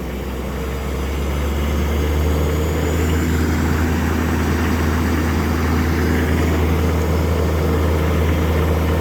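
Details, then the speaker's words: Cold start of modified 2005 LLY Duramax after sitting almost 2 weeks in freezing/single-digit temps, not plugged in, 30-over injectors, AirDog 165, stock tune: deep steady idle rising as elevated idle kicks in, faint turbo whistle; normal cold-start elevated idle. "we'll wait till elevated idol kicks on oh here we go i hear it starting to pump itself up the old terpsky's going"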